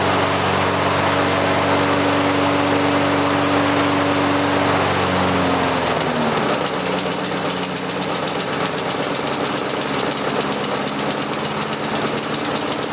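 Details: Lawn mower converted to propane with small pressure regulator, fuel valve cracked open to start then opened wide; catches, pitch shifts as fuel comes up, then settles into a steady even run held by the governor; normal governed running.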